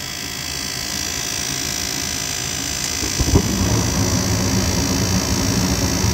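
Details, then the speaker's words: Goodman furnace on a no-heat call, inducer motor at thermostat call for heat: rising hum spinning up with a rough whirring rattle underneath, sounding worn; noisy inducer motor. "This inducer sounds like it seems it's seen better days."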